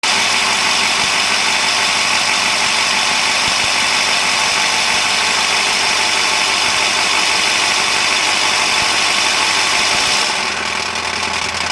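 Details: 2000 7.3L diesel: loud hissy idle with uneven pulse of about three to four beats per second, no steady rhythm; rough idle, cause suspected but not confirmed.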